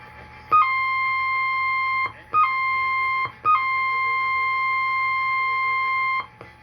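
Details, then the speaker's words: AM/FM tube tuner during IF repair and alignment, tuned slightly off AM 660 KTNN: steady whistles near 1 kHz, a heterodyne from the off-frequency tuning, not zero-beat with the station. "hear it how you can hear the humming by how far off it is this this is not zero beaded with"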